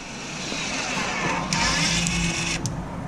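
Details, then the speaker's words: 2014 Audi Q5 rear electric parking brake, closed via a Snap-on scan tool after the brake job: a brief steady motor whir for about a second as the caliper clamps shut normally. "caliper has closed and the light should stop blinking inside"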